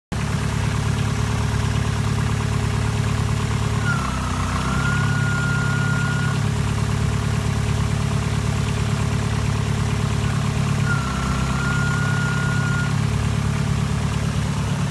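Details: Toyota Celica at idle: a thin high whine rises in, holds a couple of seconds, then drops out, still coming and going with the alternator fly lead disconnected; alternator whine suspected, intermittent whine at idle.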